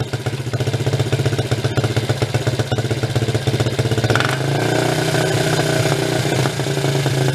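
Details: 1983 Suzuki 125 three-wheeler ATV, choke off, carburettor mixture screw adjusted: uneven lumpy idle with sharp pops back through intake; screw too far out, lean, no good setting found.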